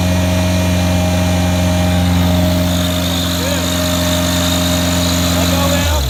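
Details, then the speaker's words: Genie Z45/22 lift with Ford LRG-423 engine and DIS ignition: steady even petrol idle with a low hum, then it slows and dies once the start button is released; a switch is to be installed. "As soon as you let go, it shuts down."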